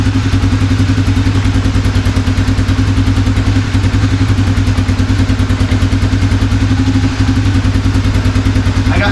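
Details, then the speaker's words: 1987 Honda FourTrax after carburetor and choke repair, warming up: steady single-cylinder thump with a slightly uneven, loping rhythm; owner suspects it is still partly choked; rough warm-up running. "I'm going to give it a minute to run let the Eng can get warm a little bit just see if anything kind of wanders I'm also going to loosen up this choke cuz it might be partially choked right now"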